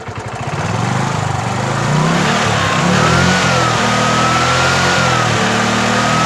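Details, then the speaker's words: Bajaj Chetak 4-stroke scooter just after a one-kick start: engine revs cleanly, even and steady with no misfire or knock; the knocking misfire only appears after several minutes of idling. "एक किक में स्टार्ट हो गई है और बहुत smooth work कर रहा है, कोई मिसफायर नहीं, कुछ नहीं। और अगर मैं इंजन को रेस भी करूँगा तब भी ये स्मूथली वर्क कर रहा है, देखिए इस तरह से।"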